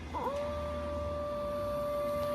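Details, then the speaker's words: Ford 6.0 Power Stroke diesel with 90,000 miles, reassembled after a stud job, with the lift pump jumpered to prime fuel before startup. A short chirp, then a steady high electric whine holding one pitch, meaning normal priming. "6-0 power stroke priming fuel okay here we go"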